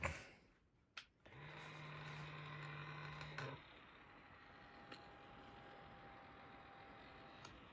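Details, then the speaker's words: Intel NUC6i7KYK cooling fan after oiling the motor shaft to fix noise and squealing: small fan spins with a soft, steady hum, quiet, no rattle or scraping, though a slight skipping or clipping is noticed. "it sounds pretty good it's pretty quiet"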